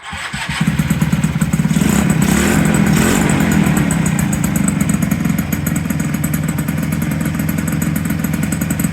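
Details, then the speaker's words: 1983 Yamaha CV80 80cc two-stroke scooter, a cold-morning flea market find, first start after contact wire connected: buzzy note catches, swells, then settles into an even, steady idle with no misses; running well. "so it's running pretty good guys"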